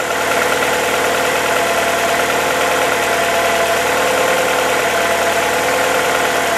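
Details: VW Polo after replacing ignition harness and all four spark plugs, start with small throttle blip, before warming to 90°C to check coolant leak: smooth, even idle with steady pitch, no misses or knocks; normal idle.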